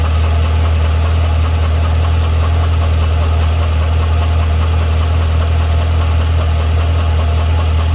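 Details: 2012 Cadillac CTS-V V8 at idle: a steady idle with a faint, uneven light tapping under the low rumble; a tick or knock at idle of unknown origin.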